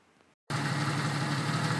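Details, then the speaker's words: 1991 Jeep Cherokee Laredo six after spark plugs replaced, one badly worn plug caused the misfire: brief quiet start then steady even low hum with no skips; normal idle. "well as you can hear the Jeep is running great now"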